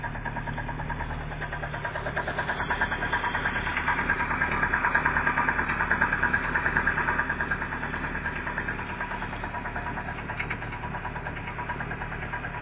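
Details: Engine idling with a hollow, evenly spaced knock about three per second, swelling slightly as revs lift; piston skirt broken off, slapping the bore.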